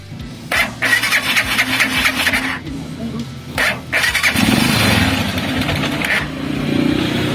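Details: Motorcycle that died when accelerated and wouldn't move off, after carburettor needle reseated with clip at top and carb refitted: engine catches and revs cleanly with each throttle blip, settles back without stalling; now runs normally.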